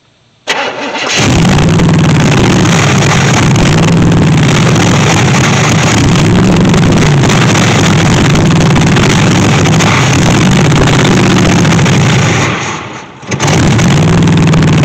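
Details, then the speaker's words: 1964 Chevy Impala SS Convertible, radiator just refilled: cranks, catches and holds a steady idle, then fades out near twelve seconds before picking back up; intermittent stalling, cause unknown. "oh that's good and now it just died for no reason whatsoever again"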